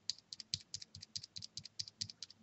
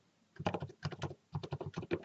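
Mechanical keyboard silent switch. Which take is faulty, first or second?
first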